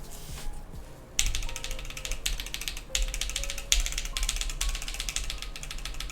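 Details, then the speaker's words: Mode Envoy keyboard commission build typed with a Metropolis keycap set: fast typing clicks, some keystrokes leaving a faint thin metallic ring; spring ping somewhere in the board, source unknown. "Where's that coming from? How is there ping? I don't understand. That's very confusing. I don't even know what could be pinging on this thing."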